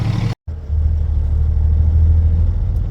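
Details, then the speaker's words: Peterbilt diesel truck just started after sitting three months, primed 2–3 times: after a brief cut, a deep steady rumble settles into an even idle with no misses or knocks, idling smoothly. "Oh yeah, she's purring. She wants to go. She's like, take me to work."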